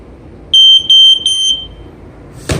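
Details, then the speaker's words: Sears 302.57475 smoke alarm with silencer triggered, now sounding reliably; three loud, piercing steady high-pitched beeps then a thump. Smoke alarm sounding normally. "sounds much more reliably"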